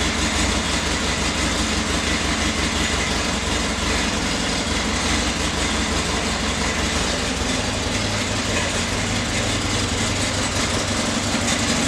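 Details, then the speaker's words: Flood-damaged 2011 Harley-Davidson XR1200X, 128 miles, new battery, fuel drained and refilled fresh, no water found at plugs: V-twin lopes at a steady even idle throughout, no misses or knocks; normal running. "alright guys so the new batteries in we're gonna go ahead and see if it'll start and I do have to mention when I got the bike I did drain the fuel out I did refill it with new fuel"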